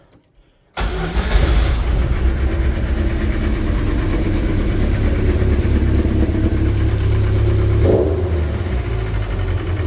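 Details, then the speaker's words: MGF race car engine after fixing a throttle surging/running problem, running about 35 minutes with occasional revs: starts at once, steady even idle, brief clean blip; normal running, issue solved. "as I say I've had it running for about 35 minutes and I'll keep coming over and just giving a little rev and it's been absolutely fine so I think we've solved that issue with that running problem"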